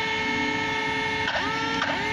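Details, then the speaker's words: Traxxas X-Maxx 8S RC truck on 8S (2 x 4S) after only four runs on gravel, grass, road and small jumps: a steady high-pitched electric whine with pitch swoops as the wheel is turned, but the steering servo never moves; a failed servo. "guys, what's this sound? It's coming from the servo. See. So there's no more servo response now."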